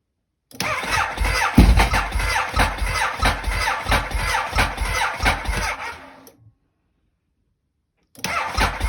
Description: Symptoms of my Ducati monster which fails to start.